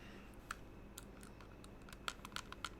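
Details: Fantech Aria gaming mouse after three months' use: crisp, light main button clicks with minimal pre-travel and slight post-travel, irregular, about a dozen in three seconds, in a quiet room; normal.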